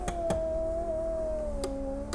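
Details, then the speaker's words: Rover 75 V6 with 66,000 miles, driver's power window closing; the motor whine sags as it labours and drags tight near the top, needing nursing to close fully. Owner suspects the regulator is out of line; unconfirmed. "you can hear how tight that gets before it finally stops and You' kind of got to nurse it up to get it all the way so I think that regulator is out of line or something something is incorrect there"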